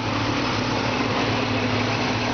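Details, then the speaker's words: 1950 Ford F1 with an older Chevy 350 V8, two-barrel carburetor, automatic transmission, 12 V system and push-button start. It starts instantly into a steady, even low hum with no knocks or stumbles; normal idle. "The engine sounds great. This thing touch, you touch the button, it fires right"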